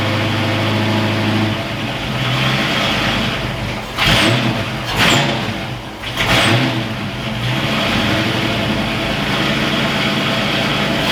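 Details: Ford Foxbody V8 freshly rebuilt in one day: even idle with three quick clean throttle blips rising and falling crisply; warmed to about 200 degrees before thermostat opened, no oil leaks, runs fantastic, normal idle and revving.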